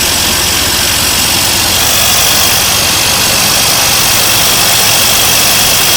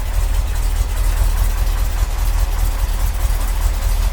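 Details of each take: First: 1982 C3 Corvette, fuel-injected, left outside for a decade, first run after a fuel system overhaul: the engine idles with a loud steady hiss over its beat; a vacuum leak at a small line believed to go to the air cleaner. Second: 1982 Corvette fuel-injected V8, completely cold start after the fuel system overhaul, probably needs a tune-up: starts right up into a deep fairly even burble, slight cold unevenness, no knocks or ticks; normal idle.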